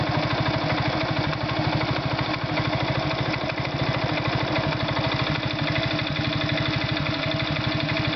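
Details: Irbis Virago 110 motorcycle idling: a sharp, evenly spaced metallic tapping on every firing stroke of the small single. An engine knock.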